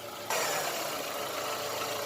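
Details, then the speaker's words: Chevrolet Optra engine after repair: quiet, smooth idle with steady even hum, no misses. It previously misfired, jerked while driving and was slow to start; the cause was a faulty coil with a rotted, leaking lead, which was replaced. "देखा, बिल्कुल साइलेंट हो गया इंजन, मस्त हो गया गाड़ी।"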